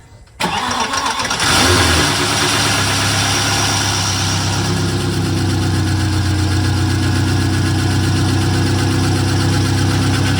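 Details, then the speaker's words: VW Passat W8 4.0L manual 4motion, freshly installed replacement engine (old one suspected of a failed big end): catches within a second into a steady, even idle with no misses or knocks; "stuff is dry"; normal running. "yeah it sounded horrible but it ran well yeah it started really quickly actually well yeah but it like sounded like like it should"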